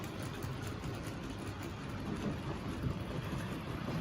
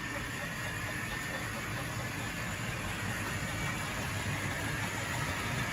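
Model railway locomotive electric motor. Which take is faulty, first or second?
second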